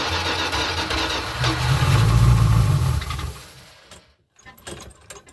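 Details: 1981 Dodge B250 Ram van V8, first start after years parked: catches and lopes unevenly, surging and sagging, then dies. Rough running, stumbling; owner thinks it isn't getting enough fuel and the carburetor probably needs rebuilding.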